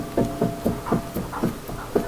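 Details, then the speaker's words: 2015 Dodge Challenger R/T, front wheel raised and rocked by hand, engine off: dull clunks about four per second; the wheel moves due to a worn, loose front hub bearing, with possible bent suspension. "It's definitely moving. It's definitely just the wheel moving because the hub and the hub bearing, which is basically the center bearing that makes the wheel spin."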